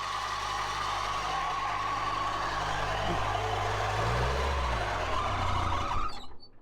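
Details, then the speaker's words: 1970s Cat D3 LGP dozer diesel running with belt freshly tightened: coarse constant growl tracking engine speed from failing, seizing water pump bearings, belt smoking; water pump failure. "Well, again, that's why we're here, trying to work out all the bugs. Those bearings in that water pump are super growly."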